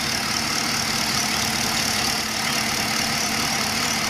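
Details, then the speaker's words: Holden Commodore VE SS V8 at 150,000 km, just fitted with new spark plugs and NGK 8mm leads as routine service, no prior misfire; steady, even idle under a strong airy hiss, no rattle, knock or stumble; normal idle. "As you can tell, it's not too rattly."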